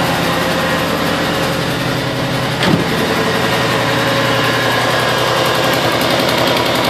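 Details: 2005 Subaru Impreza WRX after front-end wreck rebuild, idling below its normal ~1500 rpm, oil pressure 70 psi, air filter off: rough idle with sharp quick ticking from this side; cause was very bad exhaust leak, fixed by new header.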